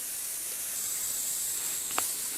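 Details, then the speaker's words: Small air compressor, motor off, pressure switch cover removed: a steady airy hiss of compressed air leaking around the pressure switch; the diaphragm underneath is suspected. "okay now yeah definitely leaking there somewhere and I'd say it is the diaphragm that's under there"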